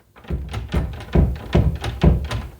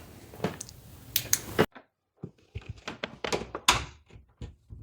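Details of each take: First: Closed door rattles in its frame when the AC kicks on or somebody opens a door: a quick uneven run of dull thunks from a loose latch fit; fixed by bending out the striker plate tab. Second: Interior door closing after bending out the strike plate tab with a flathead screwdriver to stop rattling: soft thunks and a light latch click with no rattle, now quieter and snug.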